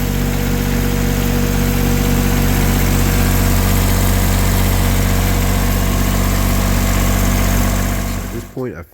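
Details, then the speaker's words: Diesel engine after an oil change (warm oil extracted with a manual pump, fresh oil added), started on glow plugs; steady even clatter at idle with no misfire or knock, then clean shutdown; normal idle. "Glow plugs. And then crank it. She's all back in business."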